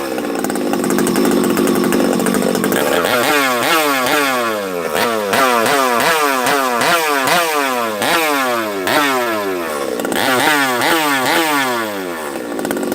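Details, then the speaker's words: Freshly built Husqvarna 371XP chainsaw, first start, bottom end still full of assembly oil: revs rise and fall about twice a second, wet and burbly; loading up, running rich while burning off the oil. "I think still got oil in it you can hear it it's loading up just a hair we'll play with it"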